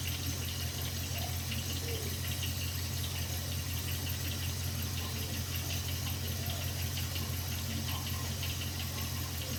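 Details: 2001 Jeep Grand Cherokee WJ 4.7L PowerTech V8 at cold idle: dull low knock tapping loosely under steady drone, only when cold and gone within two minutes of running; rod knock suspected, unconfirmed.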